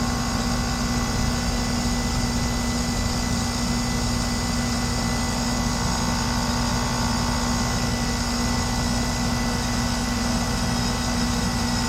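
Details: Lennox heat pump, noise complaint, running and cooling with pressures 133 and 264; loud steady hum with coarse rough edge, constant pitch; technician first wondered about bad compressor valves, then suspects the reversing valve.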